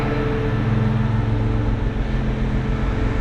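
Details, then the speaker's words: 1996 Mitsubishi Montero idling with the AC running after adding the last can of refrigerant, now blowing cold; steady idle with the AC compressor running evenly, no whine, squeal, rattle or cycling clatter; normal air conditioning operation. "sounds like it's going okay it's running it's not whining but it's not blowing super cold"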